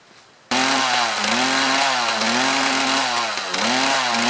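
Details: Mantis tiller with Kioritz Echo two-stroke engine, after cleaning carburetor area to fix bogging under load: steady high buzzing note, revs wander slightly and recover cleanly, no bogging; runs healthy.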